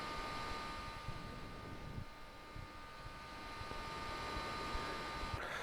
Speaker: so as you can hear it gets pretty loud but if you're playing through the fight I really don't think you're going to care